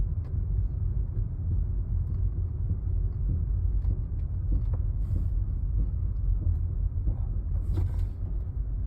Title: XC70 drivetrain knocking sound